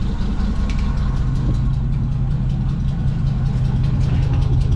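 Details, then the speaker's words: 1979 Chevrolet Suburban V8 with new dual exhaust, not yet warmed up: steady idle with an occasional skip in the exhaust beat every few firing cycles; one cylinder missing intermittently, plugs to be checked; cylinder misfire. "this one you can hear the Miss on it so get her warmed up a little bit"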